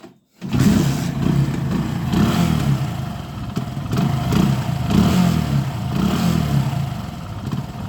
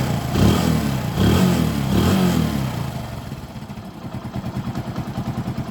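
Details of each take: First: Hero Passion Pro carbureted motorcycle that won't idle, dies when the throttle is released and runs only at high rpm. Held on throttle, it surges up and down every couple of seconds with misfiring from a wrong air-fuel mix; blocked carburetor jets. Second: Hero Passion Pro motorcycle that would not hold idle, after its blocked carburetor was cleaned and refitted: a couple of clean throttle blips, then a steady, even idle with no missing or stumbling; normal revving, problem fixed.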